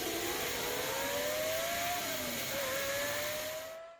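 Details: Pentium 2 Windows 98 retro PC at first power-on, before it POSTs on the first try: a loud rushing roar with a wavering whine that rises and dips. The cooling fans are running very loud.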